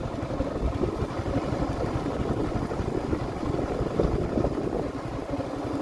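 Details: Yamaha Sniper 155R 2023 model, about 5 months old, at idle: fast, busy clatter over the low rumble; abnormal noise the mechanic could not locate, source not pinned down.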